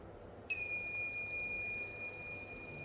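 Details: Dead Asus TUF FX506L laptop, short killer at up to 2.5 V, 3 A into the shorted main power rail: shrill steady unbroken tone while a spot near the memory heats to 56°C, likely under the board; short from a bad MOSFET.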